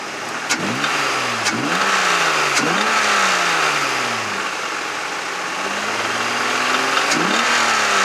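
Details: 1996 Mazda MX-6, runs and drives fine, check engine light on, throttle blips: sharp knocks about four per second through rise and fall; owner suspects bad valve or rod bearing, unconfirmed.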